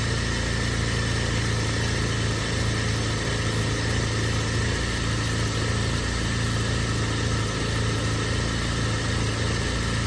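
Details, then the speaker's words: BMW E36 Compact, M4x four-cylinder, about 100,085 original miles, cold idle with no throttle just after start, no check engine light; lumpy, uneven low beat with wavering speed; rough idle; owner suspects idle control valve, AFM tested working. "It's definitely idling rough, and I think that's strictly from the idle control valve."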